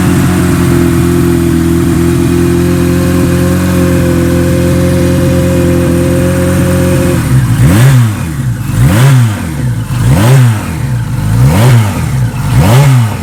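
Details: 1976 Kawasaki KZ900 with a Mr. Turbo package and a Bendix carburetor, fuel on reserve; steady even idle, then clean throttle blips rising and falling about once a second, no knocks or rattles: healthy turbo four, normal idle and revving.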